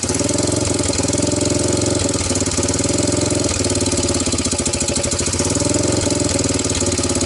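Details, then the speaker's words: 1998 Honda TRX300EX ATV after intake valve adjustment and carb/CDI swaps, starting on choke without a gas tank: single thumps about 200 beats a minute, uneven stumbling; rough running, owner suspects incorrect carburetor float level. "so anyway I loosen them up a touch and they feel a lot better but the thing is still not quite right let me show you what I have okay at this point it will kind of start with the choke"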